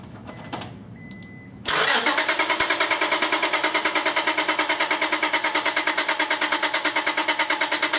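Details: 2001 Honda Accord V6 with a dead battery (about 0.2 V), cranked on a NOCO GB70 jump pack with the PGM-FI main relay unplugged so it can't run. Steady, even cranking at about three beats per second that never catches. The car is in for an intermittent no-start, and a bad ignition switch is suspected.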